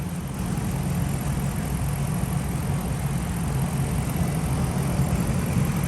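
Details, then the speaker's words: 2013 Dodge Ram 5.7 Hemi V8 after lifter and camshaft replacement, running about 10 minutes: steady even low rumble at warm idle, no ticks or knocks; sounds really good. "foreign the truck's been running for about 10 minutes now sounds really good"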